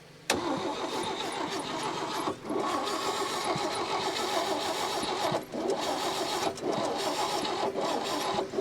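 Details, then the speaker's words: 1961 Chevy Biscayne, 235 inline six, 3-speed manual, out of a junkyard after 30+ years: starter spins the engine evenly with brief pauses but never fires. Spark and fuel present, no stuck valves; timing suspected. Cranks but no start. "all right so we're not getting any any fires"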